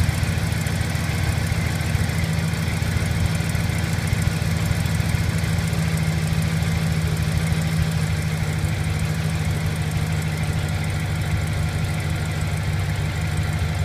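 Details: 2008 Silverado V8 at cold start, ticking from the left side under the accelerator at low rpm, near the catalytic converter. Light, uneven tick, about three per second, at idle; cause not yet found.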